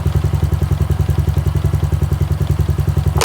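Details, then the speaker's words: Honda Wave 110i after the spark plug cap was refitted and tightened onto the lead, water sprayed on it: even steady idle with water hissing, no misses or stumbles; no longer stalls when wet, normal idle. "นะครับเตรียมตัวใหม่เนี่ยโดนน้ำไม่ทุกสถานเลยนะ"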